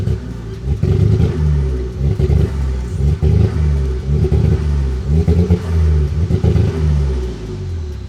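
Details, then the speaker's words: Ford Focus ST-2, 99,000 miles, misfiring with black smoke and engine light on: revs rise in uneven surges that stumble and drop out, a choppy lumpy note; bad misfire when revved, cause unknown. "So, it's really badly misfiring. So, yeah, basically it's just really showing the back while I do that."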